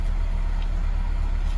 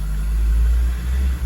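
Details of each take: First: 2002 Acura RSX Type S (K20) after replacing the defective IACV, warming up but not fully warm: steady even idle coming down from the former stuck 1500 rpm, with no hunting or surging. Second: 2002/2003 Acura RSX Type S K20, warmed up a couple of minutes: idle drone sags and recovers about every second, surging or hunting. Traced to a stuck, defective idle air control valve, later replaced.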